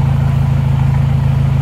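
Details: Isuzu Panther diesel just after overheat/seizure repair (warped liner/block polished, not sleeved), first start: even, steady idle with a regular low pulse, no knocks or misses; thin black smoke, no dipstick blow-by; engine sounds healthy.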